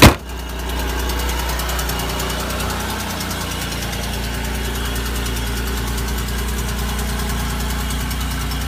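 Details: GM 3800 L67 V6 idle with fast light ticking over a low steady rumble, keeping pace with the engine: exhaust leak, likely near the manifold.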